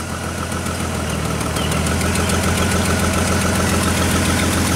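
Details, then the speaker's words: 2000s Chevrolet Trailblazer (GM truck) idling after a no-crank/no-start, PCM reconnected: uneven, loping beat, scope confirms a bad misfire and a dead ignition coil on one cylinder, yet it runs; coil swap planned. "Hey good fire you got ten in a pillow through there is that get accurate this firing pretty bad let's drop the time-base a little bit there you go we're definitely missing a an ignition coil but it runs"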